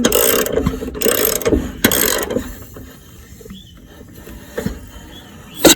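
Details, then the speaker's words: Previously seized lawnmower engine turned by hand via the blade, spark plug disconnected, no gasoline, after penetrating oil soak: repeated ratcheting clicks and compression puffs; engine has loosened up and turns freely. "It loosened up."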